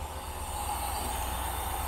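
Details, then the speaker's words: 1972 Rover 3500 P6 V8, off the road 12 years, on fresh fuel, warming up before ignition timing was checked (later found about 15 degrees, too advanced). Smooth idle burble with steady carb hiss and faint whistle, no misses; normal idle. "But otherwise it's running sweet."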